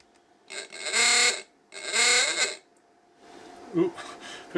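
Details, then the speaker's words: Klaxon ahooga horn for a 1953 Chevy Model 3600 truck, bench-tested at about 5 volts through series resistors: two long rasping blasts, note sagging slightly as the very hot resistors starve the motor of voltage. "think we could hear the effect of those resistors heating up there. They are very toasty."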